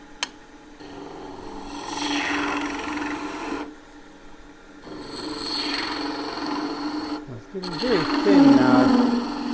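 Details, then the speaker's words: Wood lathe, green timber spindle turned very thin with a gouge: steady scraping cut, then a sudden chattering grab as the tool digs in; a proper catch from carelessness. "Now that noise, that is a proper catch, just me being a bit careless."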